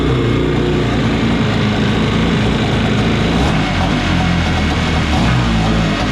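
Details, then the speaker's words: Kawasaki 750 two-stroke twin in a mini jet boat after pump, driveshaft and engine alignment: busy, steady burble at about 1500 rpm with no choke, holding evenly; idle set properly, owner unsure whether it should be lower. "The idle set properly. So right now we're at no choke, and we are sitting at about 1500 RPM."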